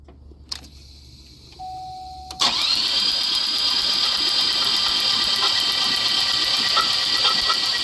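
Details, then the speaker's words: Buick LeSabre V6 cranked with the rear three spark plugs out, checking for coolant in rear cylinders (plugs wet with fuel, no coolant seen): chime, then fast, even starter whir with light regular ticks, no compression chuff; normal. "Okay, everyone. We're just going to crank it to see if there's any coolant in the rear cylinders."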